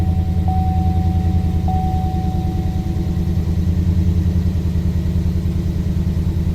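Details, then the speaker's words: 2018 Chevy Silverado 6.2 V8, started after sitting since Friday with a flashing check engine light: low, uneven chug about three times a second at idle, a misfire with no knocking or abnormal noise. "There is no noise to this other than a misfire and a flashing check engine light."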